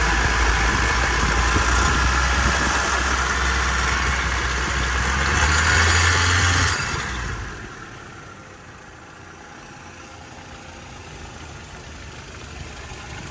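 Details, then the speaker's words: Toyota Tacoma 4-cylinder idling, then shutting down, during fuel filter work under the intake: fast even metallic buzz on the engine note; intake rattling on a loose metal mounting plate. "So that metal noise is this intake. Just rattling around on that little metal plate."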